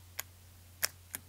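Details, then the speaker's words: Headlight dimmer relay for a 1971 VW Super Beetle, bench tested by grounding the S terminal: three crisp clicks over faint hum as it switches between low and high beam; relay works. "Touching the ground again, the lights turn on, and off and on. As we touch the ground, you can hear the relay clicking."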